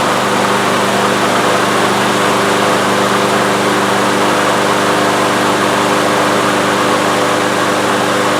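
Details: Troy-Bilt TB360 mower with a Briggs & Stratton Quantum engine, unused for 3 years and not starting, primed with starting fluid in the intake: catches and holds a steady, even buzz with no stumbles, pointing to fuel delivery trouble.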